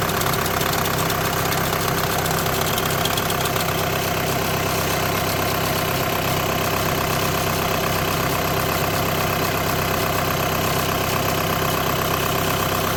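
Even idle with a faint repeating chatter, under two beats a second, riding over the hum; sounds like a worn DSG clutch plate bearing.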